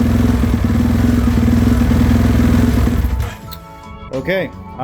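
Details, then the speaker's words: 2018.5 Husqvarna FC450 that was hard starting, bogging, backfiring on decel and losing power; after fuel system repair and new filter: revs crisply, holds without stumbling or bogging, then drops back, far better than before. "thousand times better before I wouldn't even rev like that it would want to die and fall on its face so I think that was it"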